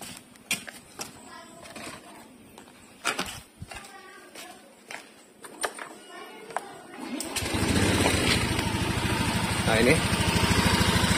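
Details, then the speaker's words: Wife's scooter right after an oil change from worn old oil: steady, even putter at idle, smooth and healthy, little different in sound. "nya Enggak beda jauh sih suaranya ya sama-sama mulus kok nih bunyinya ini tuh kendor ini suara mesinnya"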